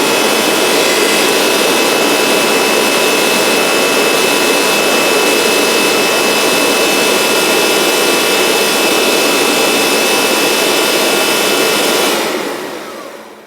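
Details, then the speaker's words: Kirby Avalir in mopper brush-roll mode: loud steady motor roar with a rough scraping grind until switch-off. It grinds regardless of the brush roll redesign because the tray rubs against the brush roll. "So the Kirby Avalir mopper system does indeed just make that grinding sound no matter what. So it's not because of the brush roll redesign"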